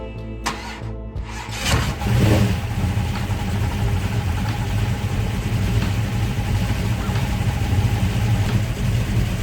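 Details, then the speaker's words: Classic Mopar Duster, carbureted, on a cold morning after a long drive: uneven cranking bursts, then it suddenly catches and revs roughly before settling into a rumbling run. Hard starting; the owner suspects cold temperature and plans to replace the orange box. "can't tell you how many times i cranked this thing over wouldn't start and then to just fire off like that"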